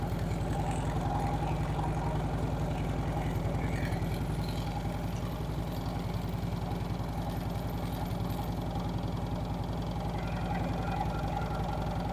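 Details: Harley-Davidson Street Glide V-twin after a Screamin' Eagle compensator upgrade for hot-start issues and noises, primary case reassembled: steady, even loping idle with no knocks or rattles; starting, charging and clutch all fine.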